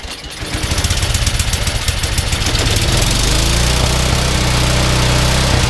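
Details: Yardman 21" snowblower 31A-285-452, 5 hp Tecumseh, sat for years, started using the primer: catches and settles within about three seconds into a steady, even high-speed run with no misfires. Engine good, but auger (tine) assembly won't engage.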